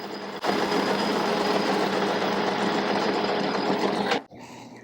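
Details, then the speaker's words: Ironhead magneto tach spiral drive gear, replaced, spun on a lathe at about 600 rpm with gears oiled: smooth steady whir with even light tick, no grinding or clatter, then a clean stop; gears healthy. "No weird noises. Feels nice. I don't hear anything that indicate the gears getting torn up."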